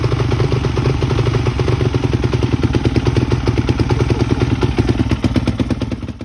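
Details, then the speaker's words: Freshly rebuilt Yamaha YZ426 dirt bike on its first start after adding coolant, gas and oil, started first try: a crisp, regular thumping beat with no misses or metallic clatter; running healthy. "the hard part's out of the way. We got the bike running."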